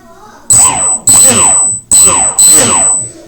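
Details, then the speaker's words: F-16 RC model electric motor, first run-up after ESC calibration: four short throttle blips, clean rising whir with steady high electronic whine, spins smoothly with correct rotation, so motor wires are plugged in right. "okay that tells me that that the uh the wires actually plugged in the right way"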